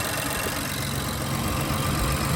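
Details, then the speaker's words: 2019+ Infiniti Q50 V6 idling after serpentine belt replacement, battery on charger/jumper after being drained: smooth, even idle with steady low drone, no squeal, chirp or knock from the belt; belt running straight, normal. "Coming in here, looking at the belt, it's not making any abnormal noises. It's running straight."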